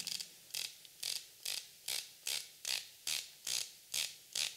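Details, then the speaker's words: Blancpain Fifty Fathoms No Radiations 2021 dive watch: its counterclockwise-only bezel with 120 clicks gives crisp, consistent ratchet clicks in bursts, a solid and normal detent. "hear it's nice, solid, mechanical clicking."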